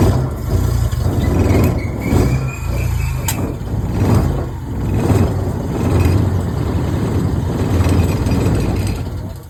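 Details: Maruti Omni first start after about 4 years unused, with new fuel pump, timing belt, water pump, ignition parts and battery: small engine runs steadily, rising and falling on throttle blips, sounding healthy. Normal running and revving.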